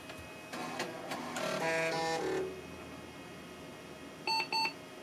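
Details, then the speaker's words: Compaq Presario 850 486 upgraded to a Pentium Overdrive, first boot after setting jumpers: a burst of floppy drive seek chatter, then two short high beeps as boot halts because a floppy was left in the drive. "What did I do? Pull the ribbon cable off? Oh, nope. Left floppy in the drive."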